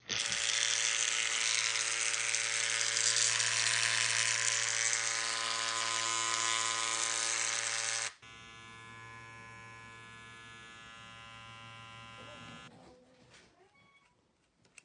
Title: How to Silence the Rattle:Fixing the Annoying Noise in Your Babyliss Clipper #shorts#clipperrepair